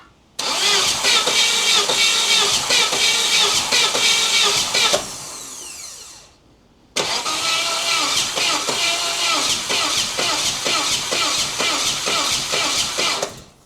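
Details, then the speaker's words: 1988 Saab 900 Turbo, long-sitting and hard to start, cranking with spark confirmed by tester: harsh rattly bursts, not every rotation, seemingly near the valve cover; owner suspects electrical arcing, fuel ruled out by test. "I think it's electrical something is like arcing or something maybe I don't know or is it fuel is fuel the problem"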